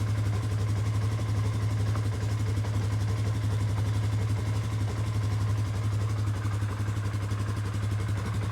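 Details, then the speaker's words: 2019 Polaris Sportsman 570 X2 single after top-end rebuild, first start: steady, even low thump at idle with regular firing, no knock or tick; running healthy. "Alright, engine sounds good. Beautiful. Well, after a rebuild, that's always what you want to hear. You want to hear it start up and run good, and she is."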